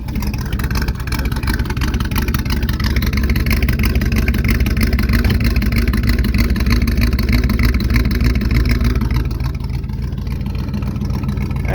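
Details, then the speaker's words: 1971 Chevy Cheyenne C10, cold start at 22 degrees after hard starting: a steady low rumble with revs rising and falling as the throttle is blipped. The cold engine catches and runs well. "we go save your foot on the gas oh nice runs good"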